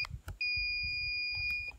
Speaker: acuérdense que tienen que poner con continuar tiene que hacer este sonido